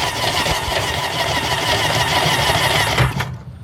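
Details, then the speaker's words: 2005 Sea-Doo GTX cranked with spark plugs out: fast, uneven starter spin with a hissing, spitting rush as water blows from the plug holes after water was found on the pistons; clearing a hydrolocked engine. "okay so now supposed to turn it over here water is going to come off oh"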